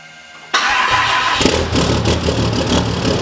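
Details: Diesel truck just after installing a Fleece Performance Power-Flo lift pump, primed with no leaks: it cranks briefly, catches cleanly and settles into a steady, even diesel idle with no misses or knocks. Normal start and idle.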